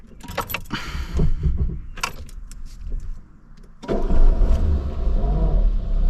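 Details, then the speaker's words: Citroën AX 10E petrol: keys jangle, a rough noisy crank from the starter, already addressed without effect, then the small engine catches and settles into a low idle. "petit démarre qui fait du bruit on l'a déjà agressé mais sony fait rien hop"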